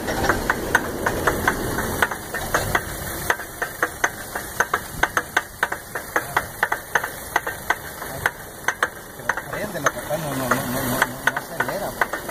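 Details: 2001 Lincoln LS V8 won't start: sharp metallic clicks two or three a second while cranking, never catches; owner fears broken timing chain, also wonders about water pump; cause unknown.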